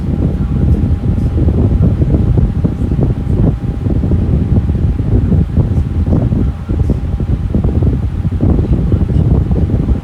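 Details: Lasko Air King high velocity floor fan, a discontinued series: steady airy rush with a faint constant tone and no knocks, rubbing or wobble, running smooth and healthy.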